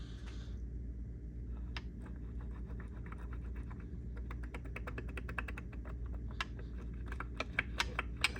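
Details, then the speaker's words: KTM XCW250 engine during rebuild, crank turned slowly by hand: uneven clicks and gritty catches instead of a smooth spin; crank bearing judged fried. "not supposed to sound like that supposed to be nice and smooth that crank is fried"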